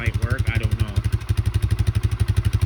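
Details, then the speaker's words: 2004 Polaris Sportsman 400 on a cold start, with plenty of gas; water in the fuel is suspected. A heavy, lumpy thumping that never picks up: the engine bogs and won't take throttle. Cause not confirmed. "I'm just showing you guys what it sounds like when it bogs you can't even hit the throttle"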